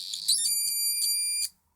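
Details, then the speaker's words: Cheap electronic burglar alarm kit after the inductor's short pin is put in socket 20: a shrill piezo tone jumps loud, shifts pitch and pulses unevenly before cutting off; the builder suspects really bad connections. "oh there's some really bad connections in here because the oscillator is some musical [Music] organ fantastic I love this"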